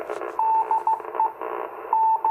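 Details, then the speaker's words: Icom IC-251A 2-meter receiver, over 40 years old, on a 21-element Yagi antenna: a keyed beacon tone about 40 over 9, over a raspy buzzing hiss. The buzzing is power line noise picked up by the Yagi. "Hear a little power line noise in there. Hear that buzzing? That's a little bit of power line noise off the Yagi."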